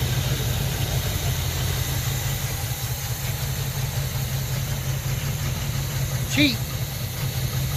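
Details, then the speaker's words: 1968 Impala 327 300 hp V8 with Turbo 400, off the road nearly 40 years, idles with deep even rumble, no misses, after only cleaning the points and fed gas from a bottle; normal idle. "I did was clean the points off and left everything else alone and it's just sitting here idling and we just ran out of gas so we are done"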